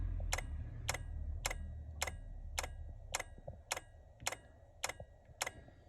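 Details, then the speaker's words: Bailey Pageant caravan power supply unit making loud, regular clicking about twice a second over a low hum, with flickering lights when the leisure battery is switched on; owner suspects a PSU fault, low current or a damaged cable. "Okay, granted the leisure battery's not actually plugged in, but even when it is plugged in, and as you can hear, it's making one hell of a row."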